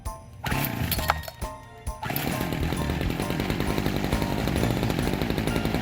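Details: Small two-stroke on a lawn tool with a dirty fuel tank, after a new carburetor diaphragm was fitted: catches after a couple of hand pulls and holds a steady, buzzy run, rough but firing evenly.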